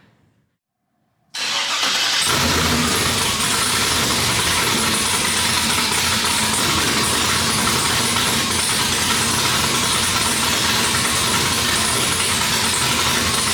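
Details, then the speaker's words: 1973 Nova LS swap with a TH350 transmission, temporary header turn-downs and Terminator X tuning: silence, then the engine catches almost at once without throttle, where before it needed gas to start, and settles into a steady, even idle. "It was kind of surprising because the engine cranked up right away this time. Before I had to give it gas just to crank it up."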